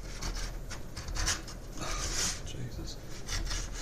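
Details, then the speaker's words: 500mm MGN12H steel linear rail, carriage pushed by hand with no load: rough, uneven scraping rasp, catching and dragging in spots; the carriage binds badly on a defective rail. "and you can hear it it's getting stuck big time same with this one"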